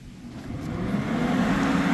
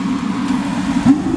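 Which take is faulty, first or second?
first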